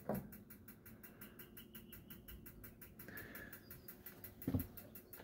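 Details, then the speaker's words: 2019 Autotrail Tribute 615 motorhome gas heater: fast, steady ticking of the igniter sparking as the control is turned to maximum, burner not yet lit until the button is held in. "to switch it on on gas it's this control here you can probably hear that's clicking and trying to ignite so let's turn it around to maximum"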